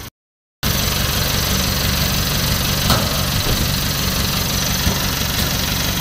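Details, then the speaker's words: Newly assembled owner-type jeep diesel, after fixing its hard starting; steady even idle with low regular chug, no knocks or misses, healthy engine needing no further spending. "Ayan so maganda ang kanyang makina wala ng kailangang gastusin pa"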